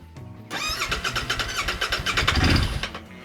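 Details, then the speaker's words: Royal Enfield Interceptor 650 that won't start after months standing, with starter spray: steady cranking at about four pulses a second with a few stronger puffs, but it never catches. Crank, no-start. "let's try again to give it some starter spray I only have a little bit in there left one two three that doesn't sound good"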